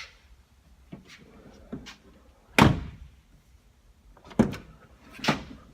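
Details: 2014 Toyota FJ Cruiser door after replacing the stop check assembly (part 68620-35020): door opens and shuts with clean, solid thunks and no rattle through its swing; the new check strap works quietly.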